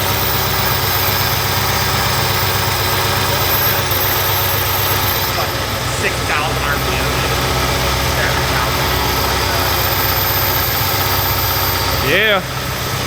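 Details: First start of a 1200hp supercharged Hemi with new Kooks exhaust and Holley fuel system, oil burning off the heads: lumpy but steady idle with blower whine, no misses or knocks; healthy, no leaks.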